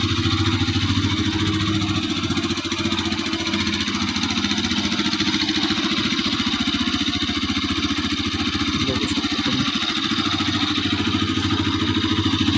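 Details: Bajaj Pulsar RS200, one year old with 24,366 km: even, steady idle with a smooth pulse and no knocks or rattles; engine sounds healthy.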